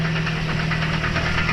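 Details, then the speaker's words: 1.3 L Toyota Vios "Batman" with manual transmission, towed in because gears engage but it won't move: rapid regular knocking over steady idle with no gear selected, heard from the right side near the gearbox; cause unclear. "May tumutunog. May tumutunog. Hindi pa tayo nakaapak ng cambio pero may tumutunog. Dito sa kanan."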